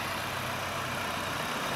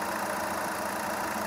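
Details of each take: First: VW Polo TDI diesel before repair, with missing, no pickup, heavy smoke and an intake flap motor fault code; lumpy, uneven diesel idle, an engine misfire at idle. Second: VW Polo after two faulty injectors were repaired; settled idle with steady rumble, no stumbles, knocks or hunting, some smoke still visible; engine now smooth, no problem, normal idle.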